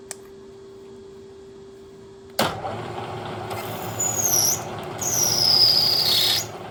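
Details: 1940s South Bend lathe drilling steel with a 5/16 bit using Anchorlube; a high thin screech rises and wavers twice, from either a dull bit or work-hardened material.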